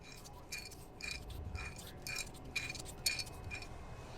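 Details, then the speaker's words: Infiniti M35 rear-wheel-drive front wheel hub removed; old hub turned by hand gives gritty rattling scrape in repeated bursts versus the smooth new one: bad wheel bearings, hub being replaced. "Alright, versus the old one that we can hear it rattling."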